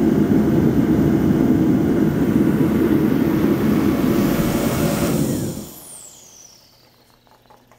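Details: Reddy torpedo heater, 115,000 BTU, cover off during circuit board, photocell and igniter troubleshooting: steady roaring burn with fan rush for about five seconds, then winds down to quiet; firing and running normally.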